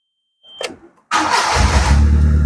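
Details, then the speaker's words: Proton Wira 4G15, previously cutting out when warm, restarted. A brief crank catches quickly into a smooth, even idle with no misses or knocks; it now runs well. "Oke. Jadi kereta ini sudah berjalan dengan baik."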